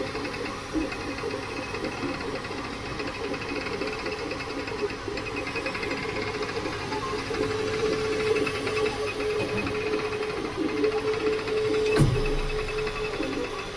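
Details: Creality K2 Plus 3D printer, about a week of use, firmware updated 2025-05-01, printing unusually slowly (owner unsure if print setting is why): slow, uneven stepper buzz and chatter with faint wavering tone; owner thinks it sounds different than before, cause unknown.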